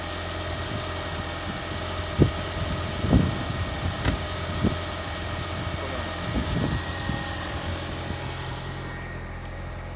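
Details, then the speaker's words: VAG 1.8T turbo engine at idle after fixing misfires (new spark plugs, ignition coils replaced): steady even idle, smooth low drone, no stumble; rough idle gone, firing cleanly on all cylinders. "as you can hear the rough idle is gone the engine is revving very good"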